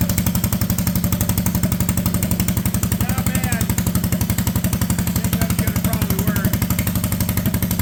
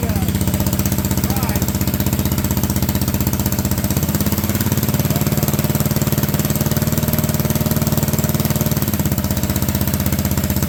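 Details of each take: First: Honda Odyssey go-kart with a cheap used single-cylinder engine and budget aftermarket clutches, engine tacked in place, park brake set, testing whether it creeps at idle. Crisp, evenly spaced putt-putt at a steady low idle with no misses or rattles: normal idle. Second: Honda Odyssey go-kart with a cheap used single-cylinder engine, supposedly first start in years, idling with park brake off: note drops and loads up twice as the CVT clutch grabs a belt that is slightly too wide.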